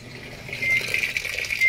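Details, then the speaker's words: Samsung digital inverter automatic washing machine, after repair for no water intake: steady hissing rush of water filling without sputter or valve chatter at water level 3; inlet now fills normally. "So ngayon ito yung first time na testing ko siya. After ko siyang gawin, start. So, yun. So yun, masok na."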